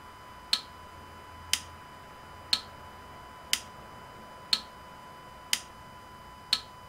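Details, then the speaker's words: Citroën Berlingo 1.6 HDi (DV6 engine) after a glow-plug fault repair, glow plug relay tested via iCarsoft CR Pro, camera on the engine side: crisp, evenly spaced clicks about once a second, the relay now working and the test passing. "Ok, là il me dit que le test est conforme et vous l'avez bien entendu sur la caméra qui est côté moteur que le relais de préchauffage fait le travail."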